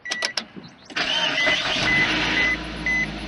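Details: 2006 Suzuki Aerio after checking and slightly tightening spark plugs past 100k miles: starter cranks briefly, engine catches at once and settles into a smooth, even idle over a chime; runs healthy.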